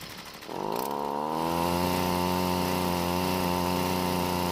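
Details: Six-year-old Stihl two-stroke trimmer on ethanol-free gasoline and good-quality two-stroke oil, started and revved: buzzes up and settles with pitch wavering and pulsing instead of holding steady; runs rough, cause unclear.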